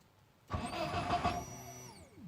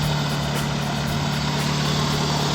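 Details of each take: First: BMW E36 318 no-start, spark present: starter cranks briefly at a steady pace but the engine never catches; the pump hums but no fuel is delivered because the fuel pump wires were swapped. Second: BMW E36 318 that would not start: spark was present but the pump delivered no fuel. After a part was replaced and petrol was added, the engine started and settled into an even, steady, smooth idle with no knocks or misses. Normal idle.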